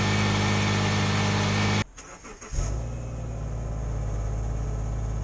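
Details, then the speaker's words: 2009 Subaru Forester AWD, cold start: short crank catches almost instantly, flares briefly, then settles into a smooth, even cold idle with no misses; healthy cold start. "I was gonna do a cold start see how she rolls over"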